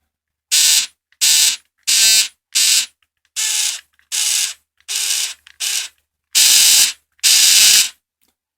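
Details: Small Oral-B toothbrush vibrating motors, wired to an RC receiver and LiPo battery for a toy boat conversion: short high buzzing bursts, about ten clean steady on-off whirs; motors running normally.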